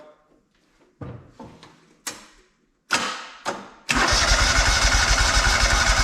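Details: Free John Deere 317 lawn tractor, repowered with Kohler Command 18 hp engine, sat many years: short cranking bursts, catches, settles to steady even run without misses or knocks; still has a fuel leak, owner suspects cracked fuel pump.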